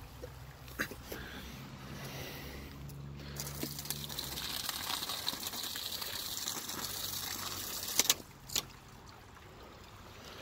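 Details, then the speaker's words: Low-pressure hydro turbine penstock: rushing water hiss broken by sharp thuds and a double bang when the valve is shut off too quickly, causing water hammer. "here's a quick example of what happens when you shut off the valve too quick it causes a water hammer effect"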